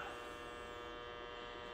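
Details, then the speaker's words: Optoma GT1080 Darbee DLP projector with lamp error, colour wheel index mark fallen off and wheel overheated: constant high, rough buzzy hum like an electric razor with felt vibration; failing colour wheel, later replaced. "get ready oof that sounds bad yeah hear the color wheel that's bad so i think we found oh i can feel that vibration"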